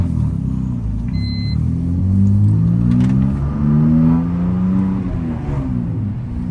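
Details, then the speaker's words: BMW E46 on a road drive with a window cracked, after a camber adjustment and an earlier clanking complaint: steady engine and road drone, no knocks or clunks over bumps; the clanking is gone and the suspension sounds quiet and tight. "can hear it's no longer making that clanking sound. It's good to have this car back on the road."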